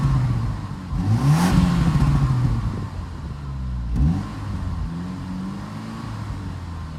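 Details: Car with newly fitted TD04 turbo, first start from cold with a bit of smoke; engine catches and revs up and down cleanly, pitch rising and falling smoothly, no knocks or rattles, sounds healthy.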